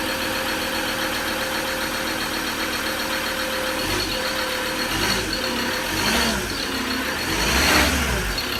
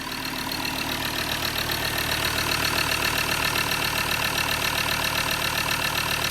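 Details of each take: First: Recently bought Ford Ranger diesel that nearly caught fire, with leaking injectors: steady airy hiss over the idle clatter, swelling with small throttle blips. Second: Recently bought Ford Ranger diesel after leaking injectors, missing injector washer, loose bolts and a blocked, blowing EGR valve were fixed with new bolts and gaskets; even diesel clatter at idle, the earlier hiss gone; normal idle after repair.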